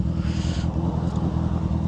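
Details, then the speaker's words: Honda F4i motorcycle idling in neutral: a busy, uneven light clacking rides over the engine note; the owner suspects the cam chain tensioner, but the cause is not confirmed. "Yeah, something is definitely clacking. I don't know what the hell that noise is."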